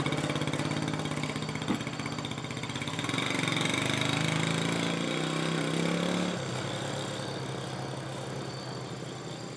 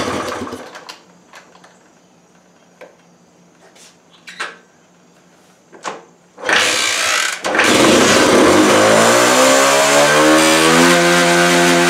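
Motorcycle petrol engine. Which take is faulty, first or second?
second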